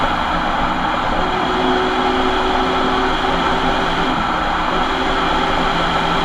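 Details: Ford Transit van while driving: loud steady drone with a faint constant whine above it; suspected bad rear differential, not confirmed.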